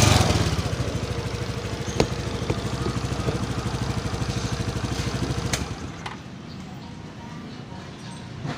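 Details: NEX F1 fuel-injected scooter with weak ignition and hard starting, after fitting a new battery: the single catches and settles into a steady, even putter for several seconds before shutting off, running smoothly with no misses.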